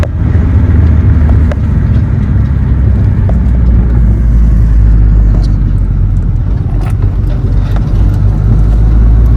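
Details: Honda Civic engine first run after engine work, small coolant leak at an intake manifold fitting, no check engine light. Low, steady rumble of a smooth four-cylinder with only a faint light tick; a decent first run.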